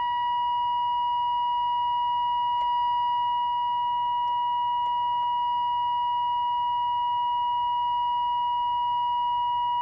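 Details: 1946 AWA 509M valve radio during alignment, tuned to 1500 kilocycles with a signal generator at 1500: a steady, pure whistle near one kilohertz with only a few faint clicks; the set is pulling in the test signal cleanly.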